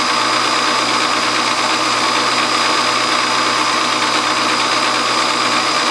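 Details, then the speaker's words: Home hobby milling machine spindle running: loud, constant metallic rattle from a loose drawbar chattering inside the spindle; a bushing was added, and the mill runs quiet with the drawbar removed. "I put a little bushing around my drawbar up there with rattling so bad a lotta and that's what that rattling is right now that noise"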